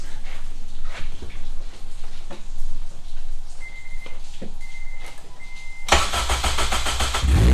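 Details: Honda 8th-gen Civic (formerly R18) with swapped K20R engine, first start on a jumpered, possibly dead battery: steady electronic beeps, then starter cranks and the engine catches with a loud, even roar; normal start, a little smoke afterward.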